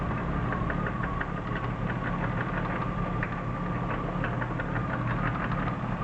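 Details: BMW E36 323i, M52B25 engine, 140,000 km: light, loosely regular tapping at idle, about three per second; pulling each ignition coil plug in turn (cylinders 1–6) leaves the knock unchanged, so owner doubts a rod bearing failure.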